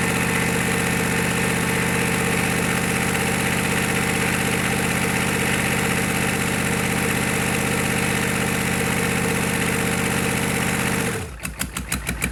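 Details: GEP/Navistar 6.5 diesel, rebuilt (Scat crank, 30 over, moly pistons), Stanadyne DB2831-4911 pump, shortly after startup, still warming: steady even idle with a firm low beat for about eleven seconds, then a clean shutdown as it coasts to a stop; healthy running.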